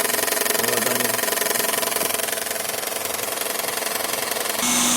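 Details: Toyota Estima, first start after repair of an owner-reported knock; the intake was removed and refitted. Steady, even idle with a light, quick ticking around four per second and no knocks or misses. Healthy running engine.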